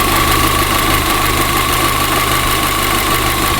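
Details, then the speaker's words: VW Golf GTI idling lumpy: loud airy hiss with thin steady whistle over uneven idle; air escaping from a cracked vacuum pipe. "The engine was definitely still running lumpy, and I was almost certain that I could hear air escaping from one of these vacuum lines."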